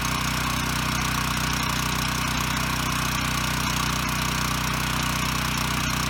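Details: Ryobi RY905500 5500-watt generator bought with a broken recoil rope, now running after the fix. Smooth constant drone at steady speed with no hunting; frequency and voltage good, but one side gave no power, possibly because its GFI had tripped.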